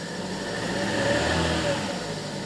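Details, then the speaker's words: 2015 Chevy Cruze 1.8 L petrol, started in a garage: lumpy, uneven idle from a cylinder 1 misfire (P0301) with a flashing warning light; swapping spark plugs did nothing, so the ignition coil pack is blamed. "But the original code is back, so by swapping the spark plugs did nothing. It is the coil pack itself."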